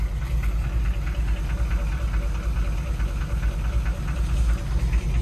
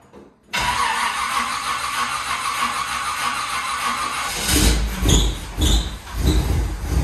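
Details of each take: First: Cold C5 Corvette V8 idling: uneven knock about twice a second over the rumble; owner unsure whether cam tapping or transmission, suspects cracked flex plate or loose bolts; present since purchase, not worsening, runs well. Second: C5 Corvette with LS engine, cold start before winter storage: starter catches quickly, V8 flares then settles into strong even fast idle with deep steady burble; normal cold start.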